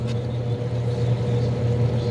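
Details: Hot tub pump after replacing a pump assembly with a broken impeller, running during air purge after refilling: steady even low hum, constant tone, no surging, rattle or air gurgle; runs smoothly and sounds healthy.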